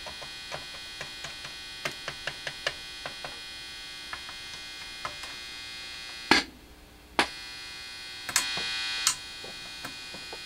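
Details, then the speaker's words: Newly built TrainWreck amp: steady electrical buzz under light clicks and a couple of loud bursts; amp silent with cable unplugged even at max volume, so builder suspects a bad guitar cable; cause not confirmed. "could be a crappy cable, I guess. I don't know. Because if I unplug it, it goes dead silent."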